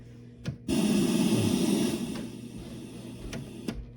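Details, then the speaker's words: Zenith Allegro radio/turntable combo, 1970s, model JR596W chassis 15WJR29, turntable motor previously stuck, oiled and freed: motor spins up with rapid uneven lump-lump thumping that fades as it settles; flat spots on the rubber idler roller, no replacement part available. "So, you can hear lump lump lump. Yeah, those are the spots on the roller."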